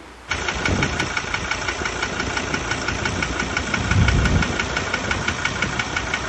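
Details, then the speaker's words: Ford Ranger 2.2 diesel, 2017, automatic six-speed, about 67,000 km, no power loss or oil use: catches and settles into sharp steady knock about three times a second at idle; suspected injector or internal engine, not confirmed. "mas eu diria que esse barulho é bico. Ou motor mesmo."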